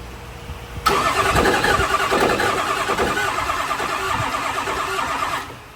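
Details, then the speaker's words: 6.0L Power Stroke diesel truck pulled from the weeds, freshly installed engine built dry: steady starter cranking about three turns a second that never catches; throws cam position sensor code, no cam sync, original cam sensor with new connector, sensor or wiring suspected. "so we have not got the truck to fire yet we're having an issue with the cam signal um it is throwing a cam sha position sensor code and it's not sinking"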